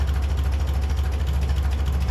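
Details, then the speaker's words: 1957 Ferguson 35 TVO tractor, not fully warm, idling without choke; idle mixture screw turned in, engine labours with a slow, heavy, uneven thumping near stalling and smoke from the exhaust: idle mixture too rich. "the engine starts laboring yeah change in there now I can start to see smoke out the exhaust so that's too rich"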